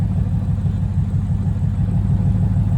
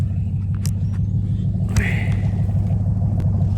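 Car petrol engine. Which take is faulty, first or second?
first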